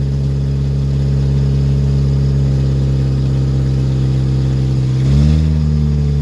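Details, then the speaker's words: Woodgas-fueled Chevrolet Cavalier after fixing PVC piping leaks, air valve closed down a little more: steady even idle with smooth low drone and slight rev change near the end; running pretty good, normal. "i close the air valve off a little bit more it seems to be running pretty good"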